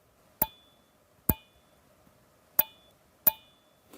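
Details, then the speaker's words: Pat Norris springy arrow rest for a recurve bow, not yet installed, held up to the microphone and tapped: four sharp taps, each trailing a short high metallic ring. The rest rings and needs damping, e.g. silicone sealant, foam or felt. "So, yeah, it has a a definite little ring to it."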